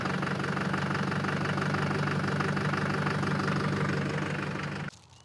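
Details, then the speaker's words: 2004 GMC Sierra 3500 LLY Duramax V8 before repair: the cylinder 7 injector harness is shaken until it loses contact, dropping the truck into limp mode. A rough idle with an uneven knock about three a second, then shutoff. Injector circuit fault. "[Music] and there we go I just tripped out that a circuit and the trucks in limp mode"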